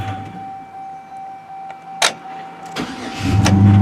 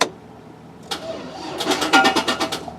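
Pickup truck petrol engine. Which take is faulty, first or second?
second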